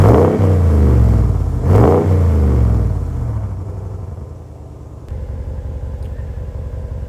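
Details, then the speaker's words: 2026 Ram with Borla muffler replacing the muffler delete: two deep revs settling into even mellow idle rumble, no rasp or cackle; nicely toned, about 40% louder than the Pro XS. "I am much happier with that. It is nice and toned at idle. It does not have any rasp or any cackle, but it's got probably 40% more volume than the Pro XS did."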